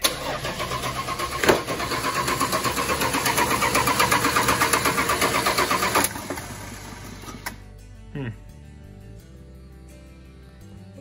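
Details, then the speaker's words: 1986 Dodge D150 Royal SE, 225ci six-cylinder, after fitting a new-old-stock carburetor: cranks rhythmically, fires briefly on starting fluid spray, then dies. Fuel wasn't reaching the carb because the long-shelved NOS needle and seat was stuck; the fix was swapping in the old carb's working needle and seat. "we ended up putting the old needle and seed actually is in this piece right here which is kind of cool when you dump taking the old one off of the carburetor we knew was working and put it in there so the new one was stuck"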